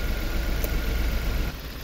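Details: 2011 Nissan Sentra 1.6 idling with an uneven, stumbling low rumble, one cylinder not firing; misfire persists after new plugs and coils, worse with A/C on, and ECU signal to ignition coil number two found missing.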